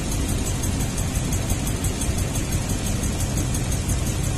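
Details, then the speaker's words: 2002 Toyota Tundra V8 at idle, flashing check-engine light, possible exhaust leak: rough, uneven loping idle; misfire confirmed on cylinder 8 by disabling coil/injector, injector ticks normally, spark check next; failed ignition coil, needs coil and tune-up parts. "the problem is definitely number eight cylinder we need to check for spark"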